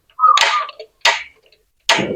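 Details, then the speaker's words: Gas stove burner after reassembly: three sharp igniter ticks under a second apart, each followed by a soft rush as the burner lights, with the flame now bluer instead of red; ignition is normal. "Nah, ini sudah terpasang dan apinya sudah semakin biru ya, tidak merah-merah."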